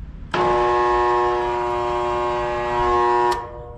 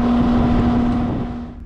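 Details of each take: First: Residential single-phase AC condenser with the contactor pushed in by hand: a loud steady hum for three seconds and no spin-up, as the compressor and condenser fan stall with no pressure change, caused by a failed dual run capacitor. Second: Residential outdoor AC unit after fixing compressor and condenser fan that hummed without starting (capacitor issue): steady rushing fan air over even low hum, pressures normalizing, running normally.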